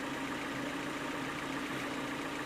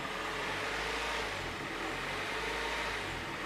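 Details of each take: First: Third-generation Honda Prelude, mostly warmed up, idling low, smooth and even with a steady hum and no rise or fall, after the notorious bouncing or surging idle was diagnosed and fixed; normal idle. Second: Third-generation Honda Prelude with a surging (hunting) idle returned after repairs: the petrol engine's note slowly swells and sags instead of holding steady; owner plans to bleed air from the cooling system.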